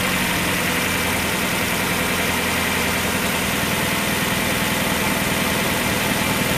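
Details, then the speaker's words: 1994 Mazda Miata after a new timing belt and water pump, run without the accessory belt or coolant: smooth, even idle with a steady firing beat and no belt squeal or ticking. Running healthy. "and I heard everything I needed to hear the engine sounds great it's running smooth as glass and I think it's time to start putting it back together again"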